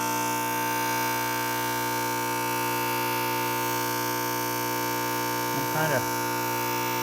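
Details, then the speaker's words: SunFire radiant shop heater running on diesel or kerosene during priming: steady, even electric fuel-pump hum with no surging or rattle; normal priming. "Now it sounds better. Pump will become quiet."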